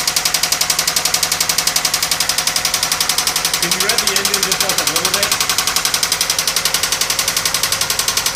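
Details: 1997 Toyota Camry, engine knock: sharp, regular ticking knock about 220 per minute over the running engine; the knock developed while driving, with stalling and white exhaust smoke; blown head gasket suspected, not confirmed.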